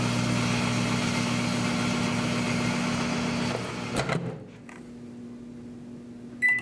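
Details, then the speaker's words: Microwave oven running with a grape inside: loud steady ~120 Hz buzz under the oven hum, from 60 Hz supply rectified with ripple at double frequency modulating magnetron, plasma arcing, then sharp cutoff. "Did you hear that buzzing too? The electrical current that powers the microwave oven oscillates at 60 Hertz."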